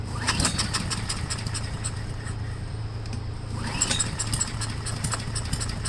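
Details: Yard Machines/MTD push blower with a 5 hp Honda single-cylinder engine, sat over two years, first start on a table with full choke, a little throttle, primed and air filter off: catches and holds a steady, slightly rough putter; carburetor cleaning considered if it runs badly.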